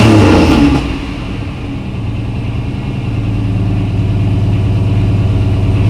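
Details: Car's first start after sitting a long while, with fresh gas, transmission fluid topped up, battery reconnected and fuel pressure confirmed: short rev, then a smooth, steady, even idle with no knocks or misses, judged healthy.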